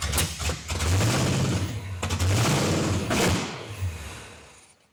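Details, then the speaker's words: 1979 Pontiac Trans Am, 403 V8, first run after fixing crossed plug wires and a distributor 180° out: loud open-pipe barking in rough revving bursts, firing on all cylinders; runs, but ignition timing is still to be set to about 14–16°. "Man, she sounds good. till she don't. But we can work with that."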